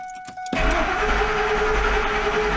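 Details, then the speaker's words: 2001 Ford Expedition crank no start: door chimes, starter spins engine steadily without catching, no fuel pump hum heard at key on; no fuel pressure, fuel pump suspected failed. "I don't hear the fuel pump. Radio turns on. The all the pretty lights come on. But I do not have a fuel pump on."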